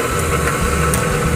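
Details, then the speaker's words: Sewing machine motor after replacing a failed capacitor, starting first time: steady motor hum with the usual buzzy vibration of an old unit, running evenly; normal running. "aquí hacemos el cambio y tiene que arrancar la máquina a la primera entonces encendemos y ahí el motor está funcionando a la primera"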